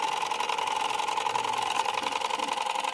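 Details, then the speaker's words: Usha ceiling fan motor running; steady mid-pitched electrical hum with a fine pulsing buzz and loud noise, but it won't rotate even when spun by hand; rotor found loose, slipping on its shaft. "நாம ஆரம்பிச்ச சுத்தி விட்டா கூட சுத்த மாட்டேங்குது இதுதான் problem"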